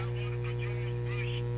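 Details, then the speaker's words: Monarch radio with shortwave bands, tuned to a station: loud steady low buzzy hum, unchanged as volume rises; classic power hum from failing filter capacitors, to be replaced one at a time. "notice when I turn up the volume the noise remains about the same and put it on a station"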